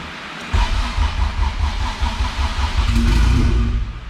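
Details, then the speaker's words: All-motor LSV Honda EF hatch on Hondata S300, freshly loaded map: cranks and catches briefly, runs ragged and uneven with a touch of throttle, won't idle on its own; throttle plate closed too far, throttle body needs adjusting. "i touched the gas pedal a little bit so i'm thinking it's not gonna idle until we adjust the throttle body but i'm gonna see if i can get it uh started for like 30 seconds or so"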